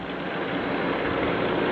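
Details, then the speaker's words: Delta 31-260X drum sander running clean, feed belt motor off: steady even whir with no knocks, rumble or wobble; drum very smooth and well balanced, good quality bearings. "So everything's very smooth and well balanced."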